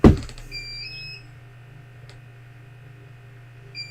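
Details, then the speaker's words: Bench UPS beeping during a mains power cut while powering a computer and test gear. Steady low hum with a short high-pitched alarm tone, a pause, then another beep: the UPS warning it is on battery. "um it's what I've got his beeping going on I'm sure that's brilliant"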